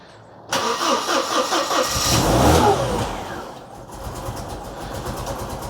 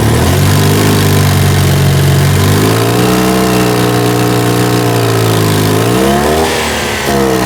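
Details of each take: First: 2CV-based Falcon S kit car abandoned 23 years, cold first start of the day: catches with a lumpy, uneven beat then rough patchy idle, seemingly not on all cylinders; misfire suspected, later sounding like all cylinders firing. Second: 2CV-based Falcon S flat-twin kit car abandoned for 23 years, first run as the carburettor cleans out: a smooth, even beat that rises and settles with throttle, no misses or knocks, solid exhaust. Normal running and idle before a problem forced engine-off.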